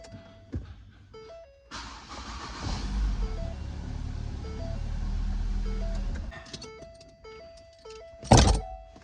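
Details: 2011 Ford Focus whose hard-to-turn ignition switch was bypassed with an added push-button start. A brief crank, then it catches and settles into a steady idle; a clean, quick start.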